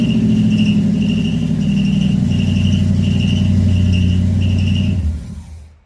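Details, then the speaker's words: Chevy Camaro stored since 2010, first start in 15 years, with new carb, fuel pump, plugs, wires, Hooker headers, H-pipe and two Flowmasters. A chirping squeak repeats about four times a second over steady idle; a mouse had lived in one of them; the source is still unknown. "Squeaky. There was a mouse living in one of them."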